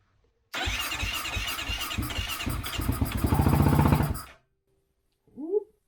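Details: 2008 Kawasaki KFX450R that sat unused, gasoline with 2-stroke oil primed into the cylinder: starter churns a few seconds, engine catches and fires evenly briefly, then dies; compression fine, fuel delivery (fuel pump) suspected faulty.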